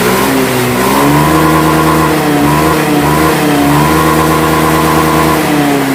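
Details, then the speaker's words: Honda Beat scooter that died when throttled, after replacing the faulty TPS (throttle position sensor, flagged by blink code) and resetting the ECU: engine picks up cleanly on each blip, pitch climbing smoothly and settling back, no stumble or cut-out; revving normally. "di sini juga ketika kita gas dia naik ya kita ulangi lagi kita hidupkan harusnya dia enak"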